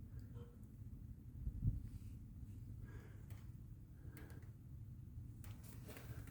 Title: Bad Wheel Bearing on a Mazda CX-9 2012.